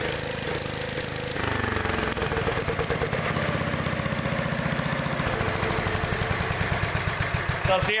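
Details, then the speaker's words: Old Gravely small single stumbling and uneven as it's revved, running badly at high RPM. The points are arcing, carburetor adjustment doesn't help, and the ignition points and condenser are worn. "it runs real like real crappy at high RPMs and stuff and sitting there adjusting the carbet trator and ain't doing any good that's cuz it's got an ignition problem the points of condenser are wore out"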